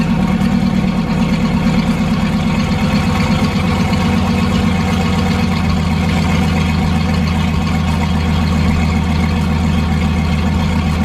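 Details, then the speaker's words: Turbocharged Ford Foxbody Mustang V8 after fitting an EGR block-off plate: loud steady idle, deep even exhaust pulse with audible turbo sound, no stumbles or misses. "and as y'all can hear and see we are pretty good I love the fact that you can hear the um the turbo sound like like coming straight up and out so she sounds good she's idling great"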